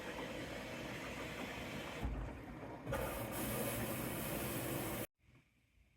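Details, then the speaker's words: LG washer after replacing a bad drain pump that had caused an OE no-drain code, final rinse fill: a steady rushing hiss of water into the drum that shifts once, then cuts off cleanly; normal fill, getting further than before the repair. "So this is the final rinse. It's gotten further than it did before. The final rinse is filling up now."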